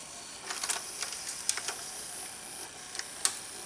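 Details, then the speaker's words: VCR labouring to rewind an older VHS tape unplayed for a while: strained high whir with irregular ticks and clicks as reels hesitate, then it starts rewinding; owner suspects tape sticking to itself on the spool; this tape later broke. "Come on. It's like the tape is sticking together. There, it's starting to rewind. Now this is one of these older tapes that hasn't been played in a while. I'm guessing the tape is like sticking to itself on the spool. Even the VCR acts like it's having a hard time rewinding."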